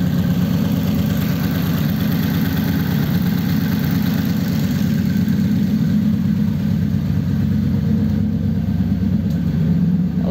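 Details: 1933 5-window coupe, worn "crusty" flathead V8 started after nearly 3 years parked, idling through dual pipes with very short mufflers: smooth, even low rumble with a steady beat and no knocks or misses; normal healthy idle.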